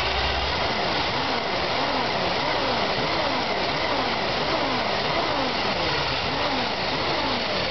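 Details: Chevy 454 big-block V8 on its first start: it idles with a loping, uneven beat and a pitch that rises and falls about once a second; rough idle.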